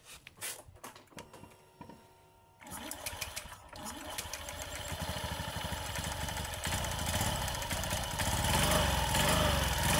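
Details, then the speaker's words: Car fan belt (drive belt) reinstalled and tightened, tested before closing the cover: engine catches and revs build smoothly with no whine or squeal; a whine when revving usually means a loose belt. "Oke teman-teman ya, nampak suaranya halus ya, halus, dan digas nggak bunyi wing gitu."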